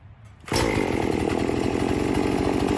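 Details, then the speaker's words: Chainsaw that bogged at full throttle, after air filter cleaning and Amsoil Power Foam treatment, primed and started: quiet, then a steady, even two-stroke idle with no stumbling or hunting; idles nicer after the fix. "In theory, it should operate normal now. It should idle nice and be able to be held wide open without bogging out."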